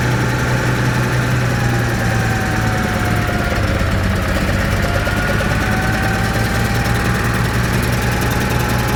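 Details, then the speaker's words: Caterpillar 3306 spark-ignited engine, won't carry load: heavy lumpy idle with uneven loping beat, popping; pulling number six plug wire made no change, dead misfire. "I can hear it's it's missing right now sounds like it has a valve or something it's popping"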